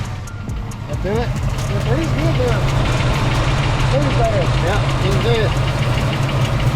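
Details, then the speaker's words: V8 with new coil, distributor, MSD box, heads and cam still misfiring: low uneven loping idle stumbling on one cylinder from a sticking fuel injector; fixed by tapping it with a pry bar. "all right a couple couple quick taps with a pry bar the injector is working again"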